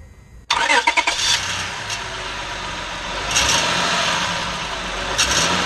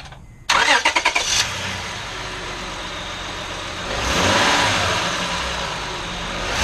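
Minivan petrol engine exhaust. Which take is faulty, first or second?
first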